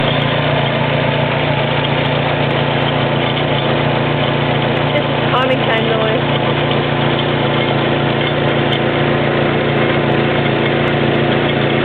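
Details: Stretched timing chain slapping on its guides in a PNW10 SR20DET swapped into an Australian-spec N15 Pulsar sedan, idling; the loose rattling slap had been present about 7,000 km, growing louder and more frequent.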